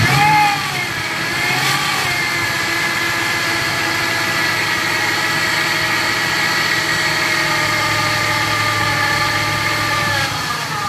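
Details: 2000 Ford F-150 5.4L V8 at idle: steady high whine holding pitch throughout; origin unknown.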